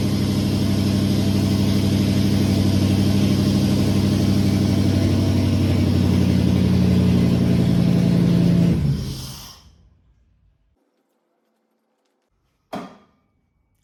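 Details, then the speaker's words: Holden VK Commodore 5.0 V8 after suspected flooding, started with the throttle floored; deep, steady open-exhaust V8 note holding even and strong before shutting off; normal running once cleared. "think what happened there was I think it flooded and didn't want to start so foot to the boards and bingo it lit up so that issue sorted now"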